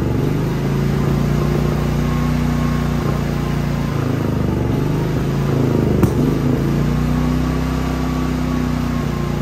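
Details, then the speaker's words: Genmax GM9000iED inverter generator, ignition module already replaced without fixing it: only starts when start button is pressed and unit tapped with foot; steady drone sags and stumbles repeatedly mid-run, then recovers; irregular running, cause unknown. "this is the only way I have been able to start this thing I click I I press the start Indian um button and then I have to tap it tap it with the floor to be able to stutter really weird I don't know what's going on"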